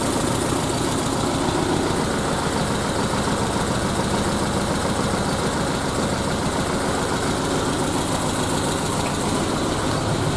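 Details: Triumph Spitfire after head gasket replacement, valve lash checked, carbs refitted: engine settles into a steady, even idle with soft regular pulse and no knocking, ticking or misfire.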